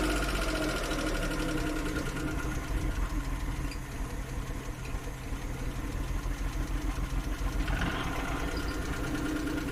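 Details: Suzuki F6 with hard starting and a rough, misfiring idle: uneven, lumpy idle with irregular knocks and stumbles about three to four per second; cause not confirmed.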